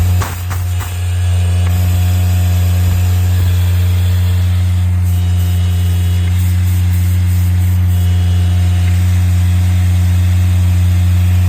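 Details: Miller Bobcat 200 Air Pak diesel welder-compressor after the rust and water lockup repair and an airflow fix, compressor running: steady, even diesel drone with a strong low hum and no knocks or squeals. It runs smoothly.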